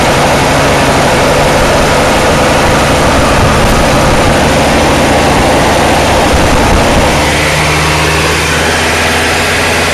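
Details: Toro two-stroke snowblower after a two-pull cold start: loud, uneven putter at idle with a wandering beat. It won't idle well on its own and must be kept running with the handle held back. Rough idle.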